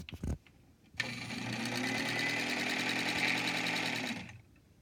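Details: Vintage Elna Supermatic sewing machine just after oiling: smooth even rapid whirr with quick regular needle ticks, no grinding; running freely, normal.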